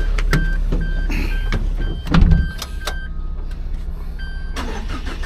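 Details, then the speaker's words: Minivan for a camper build, odometer reading 186 (called low), engine start check: the starter catches quickly, then the engine settles into a low, even, smooth rumble with no knocks or rattles; a healthy start. "186. Mababa lang. Tapos smooth oh."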